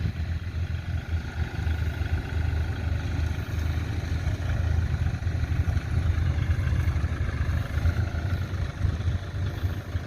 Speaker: เดี๋ยวมาดูกันนะกุลมีเสียงเงียบดีนะเหมือนกับรถไถเล็กเลย